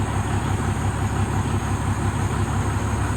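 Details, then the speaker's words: 2003 Freightliner Columbia with Caterpillar 3406 diesel after adjusting replacement injector on cylinder 5 (previous culprit): even steady low idle, regular firing pulses, no misses or knocks; smooth idle after injector repair. "Nice and smooth at idle. RPMs are just where you want them."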